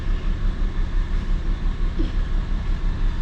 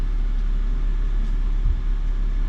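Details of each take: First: 2004 BMW 325xi automatic with the check engine light on: a low idle with an uneven pulse about three times a second, running rough and shaking from an engine misfire. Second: 2004 BMW 325xi after misfire repair: petrol engine idles low, steady and smooth, no shaking, no codes or check-engine light; normal smooth idle.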